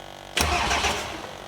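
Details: Cummins diesel truck with a P7100 injection pump just after a fuel shut-off solenoid was wired in: brief crank, then it fires cleanly and runs on as the solenoid lifts. Normal start.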